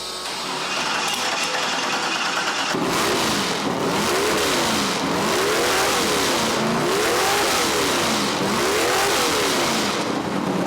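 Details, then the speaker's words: Demolition derby car at its first start: the engine catches and runs strong and even through repeated rising and falling revs, with no knocks or misfires, though it smokes very badly. "it does run good it sounds good it runs good it smokes terribly bad"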